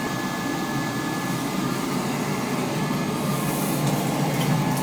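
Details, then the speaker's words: Oil-fired boiler not heating house, after new main operating control, burner motor and nozzle: steady even burner roar with soft fan hum, no rattles or surging; running normally and much quieter than before. "new main operating control little yellow burner motor new nozzle [Music] definitely a lot quieter now"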